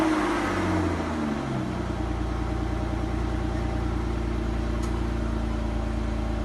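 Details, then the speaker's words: Aston Martin DB9 at cold start: large engine cranks, catches and settles into a steady, even cold idle with no tick. "this is where the db9 at cold start will exhibit no tick"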